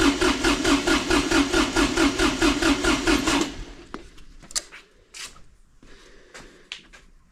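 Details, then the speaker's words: Kubota D905 diesel (Lincoln Ranger 300 welder) warmed to operating temperature, cranked with fuel shut off by zip-tied stop lever, glow plug out for compression test: even, strong cranking beat, no firing; cylinder 1 reads about 370–380 psi, healthy. "would you look at that we are about 370 380 is cylinder 1"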